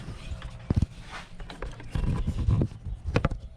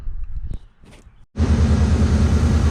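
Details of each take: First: 2003 Mercury Mountaineer with a high-speed squeal: the removed top idler pulley, above the belt tensioner (13 mm bolt), spun by hand gives a thin high whine with a grinding edge from worn bearings. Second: 2003 Mercury Mountaineer after replacing a pulley and refitting the belt: the engine starts to a steady, fairly loud exhaust rumble, and the high-speed belt squeal is gone.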